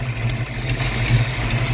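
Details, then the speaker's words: Ford 302 V8 in a Mustang project car, warmed up after fixing two dead cylinders (number 8 slow to warm), idles low, slow and sluggish with a deep, uneven, loping burble; an exhaust leak is audible. "idling really low and slow and sluggish today for some reason you can hear our amazing exhaust leak we'll have to get to that here in the next couple of weeks"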